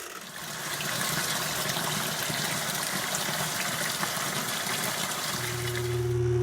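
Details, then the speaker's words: Frigidaire top-load washer after replacing the broken drive belt and the drain pump, on a small load on cold: water rushing in with a steady motor hum and a low drone. The belt and transmission are driving properly; normal wash cycle. "is sounding good you can hear the machine moving so the the belt is definitely working good transmission is moving"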